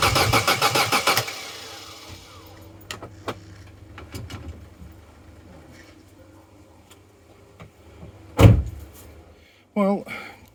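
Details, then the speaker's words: Vauxhall Corsa B that sat neglected 4-5 years, cranking after fitting a new battery: brisk even cranking for about a second, stops without any cylinder catching. Cranks but no start. "that's a good healthy turnover good healthy crank but no go we need the things that make it go"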